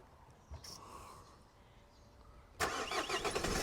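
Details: 2010 Renault Laguna with a parasitic drain from the faulty radio, radio fuse left out, started after sitting overnight: short quiet spell, then the engine catches at once and runs steadily with no long cranking; starts fine.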